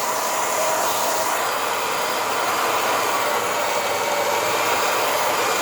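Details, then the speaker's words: Hair dryer after disassembly and cleaning for a strange noise: smooth even airflow with steady fan hum, heating well, cool button working, no rattles or scraping; normal operation. "Esquentando legal. O botão aqui, ó, que deixa frio também, funcionando ok, ó."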